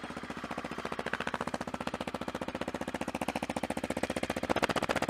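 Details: Motorcycle warming up after winter riding, with worn headers, shock and chain: even, steady thumping at about 220 beats a minute with no knocks or misses. It's idling cleanly, though the owner notes an odd vibration only on startup.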